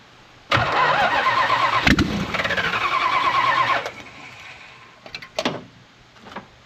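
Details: 1968 Plymouth Road Runner with a 440 V8 (tag suggests ~1978 truck/motorhome engine), no headers or manifolds; hot-wired after starter install and oil pressure confirmed, fires instantly into a loud crackling ragged roar for ~3 seconds then shut off; exhaust blasts from open ports.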